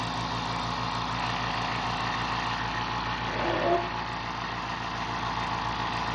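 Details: Fortress 2-gallon ultra quiet air compressor filling its tank in 45 seconds. A low, even hum with a quick steady pulse and soft hiss; very quiet, no knocks, running normally.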